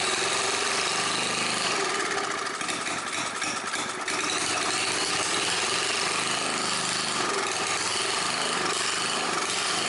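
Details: Old scrapyard Briggs & Stratton generator after adding fresh gas, priming and setting the choke. Loud, steady buzzing at constant speed without dropouts or surging; the engine and carburetor work, running normally.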